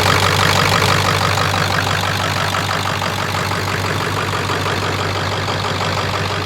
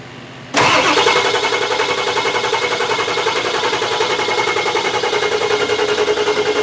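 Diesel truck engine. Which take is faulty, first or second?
second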